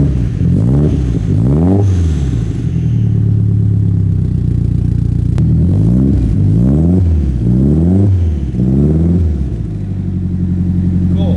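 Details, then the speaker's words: Nissan S13 hatch four-cylinder after new cams were fitted and the engine retimed: repeated throttle blips roughly every second, with a lumpier, less smooth note than stock. "Does it sound different? Yes. Does it? Yeah. It sounds different, right? I mean, Brian wasn't here for. I think it sounds different. It's not as smooth."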